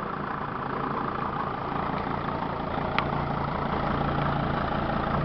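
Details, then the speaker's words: 2006 Dodge Sprinter 2500 diesel van that sat for about a week, started right up, fluids all full. Steady, quiet diesel clatter at idle with no misfire or knock: healthy. "I just started this vehicle and it's been sitting for about a week and it started right up. All these diesels crank up really nicely and they're quiet."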